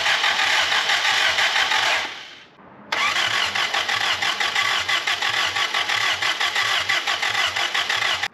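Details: Willys L-134 engine in Jeep FC-150 frame, first start attempt after engine work: starter spins engine at about three compression beats a second, pauses, cranks again, never fires; spark confirmed on plugs.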